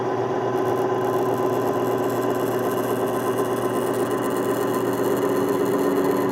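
A steady grinding rush with a few fixed tones holds even under slow loading, which is the bearing rubbing under test load.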